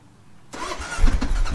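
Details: Kawasaki KLR650 in first gear, ignition on, clutch pulled in with a working clutch safety switch: silence, then the starter engages and the engine turns over with a steady low churn; cranking normally.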